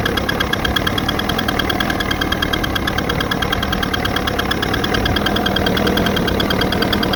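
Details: Evinrude 88 SPL two-stroke outboard with a remanufactured powerhead, 10 hours, broken in per the remanufacturer's instructions; steady running with a light, persistent ticking since the rebuild that isn't going away; cause unknown.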